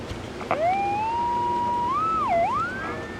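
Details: Mid-1960s General Electric P780 battery-powered AM radio, found dead, audio amp working: clear whistle sweeps up, holds, dips and rises again like a siren; radio oscillating, cause still unknown.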